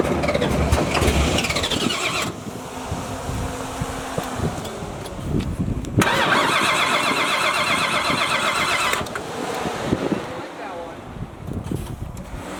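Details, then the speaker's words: Cody Smith Motorsports Oldsmobile Cutlass race car on a Holley Terminator setup, running a fresh tune file: cranks and catches quickly, then a fairly steady lope with throttle blips, sounding much better and healthy. "that sounds a lot better that's better looks like you had it figured out"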